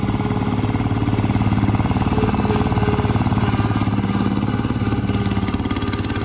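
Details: 1968 Bolens Husky 775 Husky Pup lawn tractor, restored and swapped to a Hatz 1B30 V single-cylinder diesel, mowing with the deck: steady, even thump at a brisk rate holding pace under load, normal healthy running.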